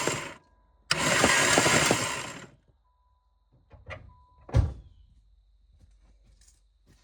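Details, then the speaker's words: 1988 Caravan van with distributor ignition: starter cranks steadily about two seconds and quits without firing while a plug is held to ground; crank no-start, no spark seen, so owner suspects no spark. "Well, I didn't see anything, so I would guess that means we probably don't have any spark, which is unsurprising."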